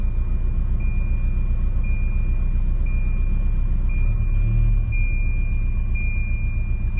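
Low, uneven idle rumble with a regular warning chime about once a second in the background; the engine runs rough, cause unknown.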